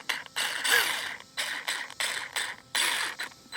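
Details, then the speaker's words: RC car in 100° heat, with a missing front axle: repeated sharp, high clattering bursts about every half second as the motor spins without driving the car; stripped spur gear. "I think I might have stripped the spur gear. As you can hear, it's obviously not doing anything."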